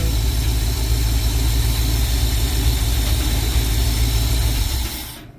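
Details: Carbureted '52 vehicle after replacing the leaking accelerator pump diaphragm: steady, even low idle with no misses or stumbles, smooth rumble before shutoff; no more drips, normal idle.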